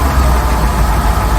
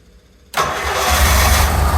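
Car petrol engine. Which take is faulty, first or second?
second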